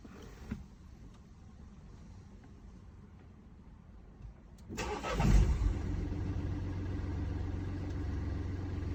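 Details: Mini Cooper D three-cylinder diesel: quiet, then cranks and catches, settling into a rough idle with an uneven low rattle underneath from a broken dual mass flywheel, which holds the clutch springs and fails through wear and tear.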